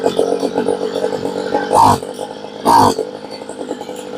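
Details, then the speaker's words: Homelite blower that only ran on choke, after carb rebuild, during tune: buzzy two-stroke idle with two short flat blips that never climb, won't rev because high-speed needle is almost completely turned in, far too lean. "And we had the high side almost completely turned off."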